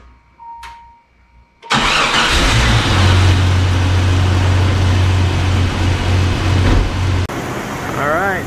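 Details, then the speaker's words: Jeep ZJ 4.0L inline-six, first cold start after head gasket and water pump replacement and new exhaust: quick crank, then an even idle with a steady low drone and no ticking; the earlier suspected lifter or rod tick was likely the old rattling exhaust. "it actually sounds pretty good in fact i had what i thought was a lifter tick or a rod kit uh a ticking under the valve cover and i don't hear that right now"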